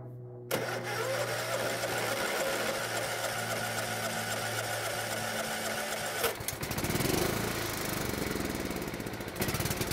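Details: Riding mower single-cylinder engine that only ran on full choke, carburetor just refitted: starts with steady even drone, settles at a new speed and keeps running smoothly; normal running.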